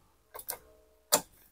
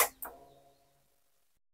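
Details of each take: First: Honda Beat injection scooter with a new battery, warm after about half an hour of riding: two quick clicks, a pause, then one sharp click; the starter clicks but won't crank the engine intermittently. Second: Honda Beat injection scooter with a new battery, starter working intermittently: brief starter whirr, then it catches and idles steadily after cleaning rusty starter relay contacts. Normal electric start after fix.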